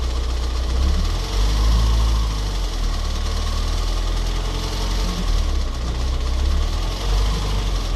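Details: Ford Focus 1.8 TDCi 115 diesel idling unevenly with a steady ticking knock over the rumble; shaky around 1000-1100 rpm, louder after about 10 minutes of driving; diagnosed faulty high-pressure pump.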